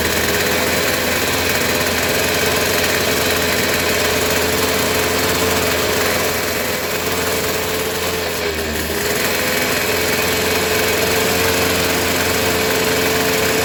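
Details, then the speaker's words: Suzuki RC two-stroke motorcycle held at high revs with the plug lead pulled away from the plug; steady crackling buzz with no cutting out or stumbling, showing strong, normal ignition spark. "oke ya teman-teman bisa dipahami caranya seperti ini bila digas tinggi motor tidak cedot-cedot Walaupun ini terlepas itulah api yang harus seharusnya itu normal ya"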